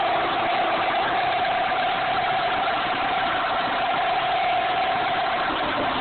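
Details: 1998 Dodge Neon 2.0L DOHC: a steady mid-pitched whine holds over the engine noise when revved; owner suspects the water pump, but the source is unconfirmed.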